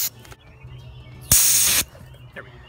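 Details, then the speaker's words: Car AC full recharge after vacuum pump: the Schrader valve is pressed to purge air from the yellow charging hose, giving a sharp half-second refrigerant hiss that stops cleanly. "I'm going to push this shraer valve and push it until refrigerant comes out just a little"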